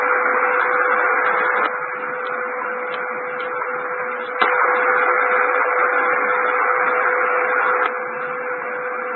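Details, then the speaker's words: Shortwave reception of WWV at 5 MHz on an all-band radio running on NiCad batteries: steady hiss over a clean tone and faint ticks, noise stepping up sharply twice when the external charger adapter is plugged in; interference from the charger adapter. "I'm going to play a short sound clip here where you'll hear wwvs pretty thing but two times there will be a none of a market increase in noise and that's when I plugged in the adapter for just a second"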